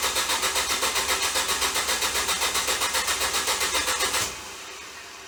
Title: Ford Focus bad Starter short from burning up